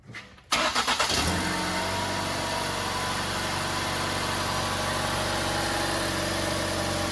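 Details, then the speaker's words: 2012 Ford Explorer 2.0L EcoBoost, cold start after sitting 6–8 hours, after turbo (and cat) replacement for a cold-start rattle: cranks and catches quickly, settles to an even fast idle with no rattle; turbo quiet, normal cold start. "all right now with the turbo replaced on here let's take a listen and see how it should sound on a cold start"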